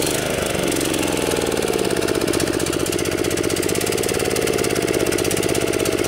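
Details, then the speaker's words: DR TR1 walk-behind trimmer with a Kawasaki 6.75 hp engine, after sitting in storage, before carb cleaning. It idles but won't rev; with the choke pushed on manually it revs and runs evenly. Fuel starvation, main jet suspected plugged. "If I come over here and push the choke on manually, revs up, runs good. But it's definitely starving for gas."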